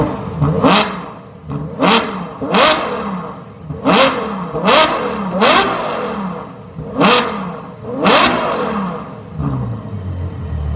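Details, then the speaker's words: 2012 Ferrari FF 650HP V12 with exhaust valves wired open, front cats and H-pipe still fitted: eight sharp throttle blips spinning up and dropping cleanly to smooth idle; normal revving. "So with it wired open, it's just gonna be clean revs the whole time."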